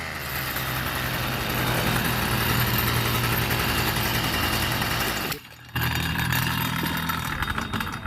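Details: Stihl small two-stroke engine, previously starting but not revving and just idling; after repair, it holds a steady, even high buzz with no stumbling or bogging and picks straight back up after a brief drop; normal running.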